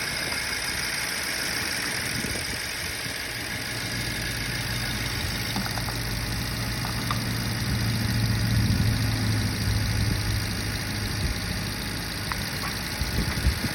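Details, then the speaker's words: 2011 BMW 550i F10 N63, six-speed manual, after high-pressure fuel pump replacement and vacuum leak fixes: smooth, settled idle with an even pulse and no stumbling or skipped beats; no misfire. "start it which is what i'm about to do well it's not misfiring my baby"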